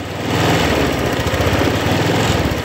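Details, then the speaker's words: Honda Vario 150 scooter that was stuttering and hard to start, after repairing the rat-chewed side-stand switch wire: small engine idles steadily with an even low putter and no stumbles or misfires. "Oke sudah nyala ya jadi masalahnya ada di kabel yang menuju ke standar ya"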